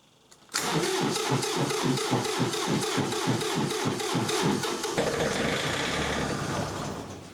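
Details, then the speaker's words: John Deere 3520 tractor in the cold, after 60 s on the glow coil at quarter throttle, with the battery about 70%: slow, labouring crank that stumbles and won't catch; later the water-separator fuel filter was found clogged with ice and gunk. "Uh it's it's not wanting to go. The uh it is cold out here. The uh the battery is uh probably down to about 70% right now, so I may have to just charge it up as well."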